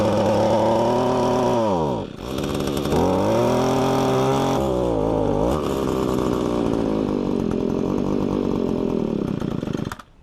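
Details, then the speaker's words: Echo two-stroke string trimmer engine, cylinder full of WD-40, possibly needs spark plug: revs up and drops twice then holds ragged uneven high-speed buzz; needs high-speed mixture adjustment. "okay from that you can hear that it needs a high speed idle adjustment plus the other thing is I put a whole lot of WD-40 in the cylinder and I think it needs a spark plug"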